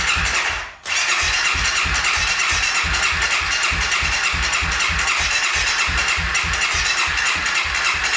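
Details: 2014 Honda CRF250L dirt bike, seat and plastics off, won't start: starter cranks the engine steadily, about five compression beats a second for eight seconds, on a jumper pack in case the battery is too small, but it never catches. Crank, no-start.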